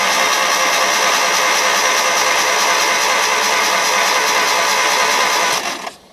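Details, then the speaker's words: Hyundai cranked with the spark plugs removed and the coil wire off to check for fuel spray from the cylinders, which are soaked with gas. A fast, light whirring spin at about three beats a second with no compression thumps. "No compression. Not rare. Now I'll put my spark plugs in this engine and see if she cranks up. Sure sounded pretty anemic, but yet we're soaked with gas, so we got to be getting some gas."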